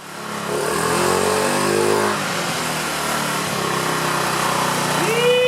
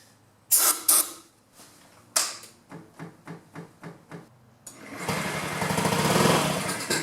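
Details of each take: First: 2009 Honda Metropolitan scooter after the carburetor was cleaned and the needle valve plunger and throat were sanded and silicone-sprayed: it revs cleanly and smoothly with a steady buzzy note, no bogging or stumble, running healthy. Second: 2009 Honda Metropolitan scooter with owner-fitted new carburetor and new battery, starting fluid sprayed into the airbox intake: several kick-start strokes, then engine briefly catches and roars; spark present, no start due to fuel not reaching the engine.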